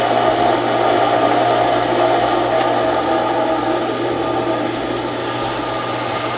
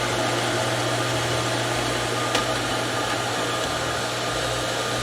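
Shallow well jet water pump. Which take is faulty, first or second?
first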